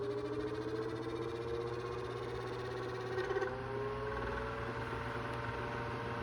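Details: 2002 Cool Breeze 12-inch oscillating desk fan after 20 years of heavy use: steady high squeal wavering slightly in pitch over motor hum; motor bearings completely shot.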